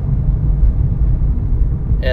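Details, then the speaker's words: 2003-2013 Toyota Corolla after wheel bearing replacement, road test at 35 to 45-50 mph: steady low road rumble with no growl or hum rising with speed; earlier high-speed noise gone, normal wheel bearing. "35 and it sounds good okay 4550 and the noise is gone so that mean that bearing is bad"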